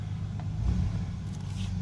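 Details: 2000 Chevrolet Astro Van after ignition cylinder replacement (broken in theft attempt): low, steady engine rumble with no knocks or misses; smooth normal idle.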